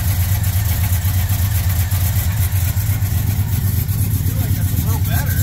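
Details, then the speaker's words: Truck engine still running rough: deep uneven rumble with a loose knock about four times a second, exhaust clanking as the motor shakes; a faulty spark plug suspected, possibly a misfiring cylinder. "still clanking up there yeah the exhaust with the motor shaking it's a drive could be still sounds like it's got that knock though I feel like that spark plug is definitely a problem"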